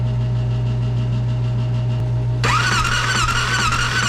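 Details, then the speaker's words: Polaris Ranger 900 XP non-runner cranking on the starter during a compression test: even, weak whir without compression chuffs; readings only about 50 and 10, cause suspected as holed piston or open valves. "all right so as you saw we took a little compression test on the old cylinders here and we didn't end up with much 50 and 10 or something terrible so there's not much there there's either a hole in a piston or the valves are open or something's going on"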